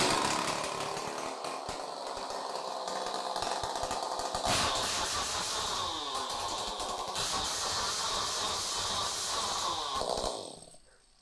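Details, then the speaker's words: Chainsaw after cylinder bore and piston kit replacement, started with choke pulled then closed: high buzzy two-stroke note climbs and settles cleanly through a few revs before shutting off; it now starts immediately and runs normally. "వెంటనే మనం choke close చేసి start చేస్తే మనకి వెంటనే start అయిపోతుంది."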